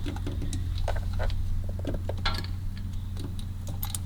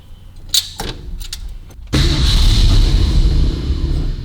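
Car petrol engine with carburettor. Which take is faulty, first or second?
second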